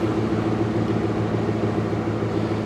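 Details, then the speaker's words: 1998 Jeep Grand Cherokee Laredo idling while warming up on about two gallons of fuel: even low hum with a soft regular pulse, no misses or knocks, no check engine lights; idles smoothly. "that's smooth though that's really really smooth and no no check engine lights"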